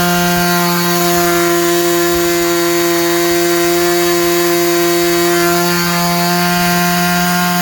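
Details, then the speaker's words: Super Tigre 90 glow engine in Super Chipmunk RC plane at full throttle during tuning: clean, steady high-pitched scream with no sag or surging; mixture really close for the temperature; engine healthy. "at least for this temperature that's pretty good i could hear just a touch after it held up for a bit to clean up a bit so it's really close"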